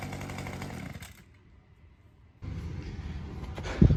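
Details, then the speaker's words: Small two-stroke weedeater after fitting a HiPA aftermarket carburetor: crisp buzzing revs drop to a low, steady idle and pick back up cleanly with no stumble; running healthy, much better than with the old carb. "Well, that sounded awesome. I didn't realize how bad that other carburetor made the engine sound. That has a lot of throat to it."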